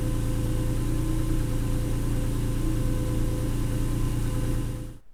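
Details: 290,000-mile Acura NSX, high-pitched whine appeared during a track day at Nelson Ledges: warm idle with thin steady whine over low hum until shutdown, louder when warm; isolated to the alternator, worn bearing suspected.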